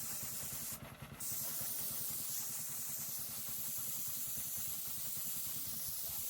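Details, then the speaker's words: New gas-powered MaxAir air compressor idling at 150 PSI while tank air is vented: loud steady hiss over low even idle thump, before compressor kicks back on; normal pressure release. "So now I'm just going to go ahead and let the air out and see when it kicks back on."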